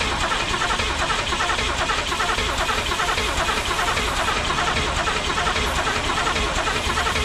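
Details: 1985 Pontiac Trans Am 350 small-block Chevy, not run in 7 years: steady starter churning at about one beat per second with no firing; cranks but won't start, distributor suspected installed in wrong position, plug wires moved to test.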